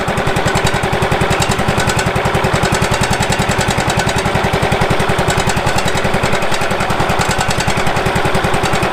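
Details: Late-1990s Wood-Mizer LT15 sawmill engine, long-stored, after maintenance and a hand-tightened fitting/washer of uncertain condition: steady even thumping about 160 per minute, no misses or knocks: normal running.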